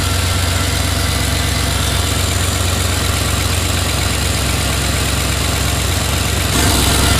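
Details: Turbo L33 LS V8 in S10 "Blue Ghost", first start after junkyard piston swap, cold day; steady even idle with faint puffing tick on exhaust pulses at crossover V-band clamp; exhaust leak.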